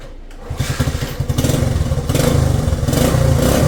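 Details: 1967 Honda CT-90, about 2,700 miles, aftermarket carburetor, in neutral, first start after a couple of kicks: small single catches after a quiet moment and settles into a quick, even putter; healthy idle, though throttle sticks.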